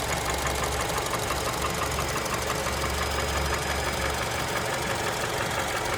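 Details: Honda Element K24 engine at idle: rapid, uneven knock about three times a second over the engine; source of the knock unknown.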